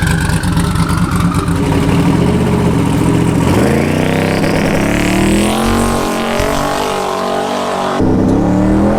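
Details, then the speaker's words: Drag-strip shakedown pass at Houston Raceway: hard acceleration with engine pitch climbing and hanging high too long before a late drop, smoke from sitting and idling; failed automatic upshift. "sounds like it didn't shift i'm not sure what's going on with that"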